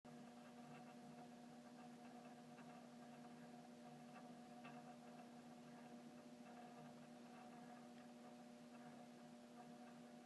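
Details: Mechanical doorbell chime downstairs, on a 16V transformer, after a Ring Pro install with the power kit on the other chime: a steady low electrical buzz. Owner suspects the front striker vibrating; the buzzing chime's cause is not confirmed.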